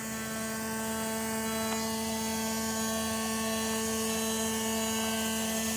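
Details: 1995 Porsche 993 running: constant steady high-pitched electric buzzing from forward area, also heard in cabin; owner suspects fuel pump, unconfirmed.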